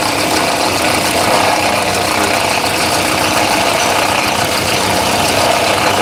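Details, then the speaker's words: 2017 Honda Accord at idle, intermittent: harsh dense ratcheting rattle from the front of the engine caused by a failing alternator decoupler pulley clutch, which is replaced. "Today, we're going to be replacing the alternator pulley clutch on this 2017 Honda Accord. And the reason we're doing that is because it's making all type of racket."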